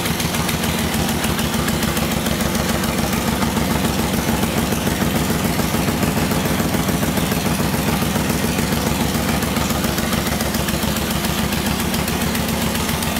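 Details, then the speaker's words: 2006 Suzuki Boulevard M109R VZR1800 with 19,641 miles, front end damaged in a collision but engine intact, started from the starter solenoid: loud, lumpy, steady idle at about 3.5 beats a second. It is a healthy, normal idle. "other than that the bike seems to just run and run and operate just fine we're going to start it up let it idle and then put it through all of its gears so you can see it for yourself"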